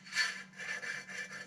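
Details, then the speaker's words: 2015 Mitsubishi Lancer, hub spun by hand: uneven scraping grind rising and falling in slow pulses; likely a bad wheel bearing, possibly the rotor, to be confirmed by swapping the bearing first. "Here's one way to see that at least the bearings are bad, but it could also be the rotor as well, but I'm pretty sure it's the bearing. You hear that? So it's grinding right there somewhere,"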